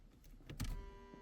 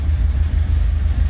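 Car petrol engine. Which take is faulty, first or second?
second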